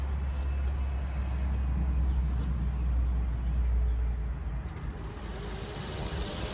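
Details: Rebuilt small block Chevy 350 V8 with headers, on a homemade run stand with a fan cooling the radiator: deep, lumpy rumble holding a steady beat, then easing down near the end. Runs strong and healthy.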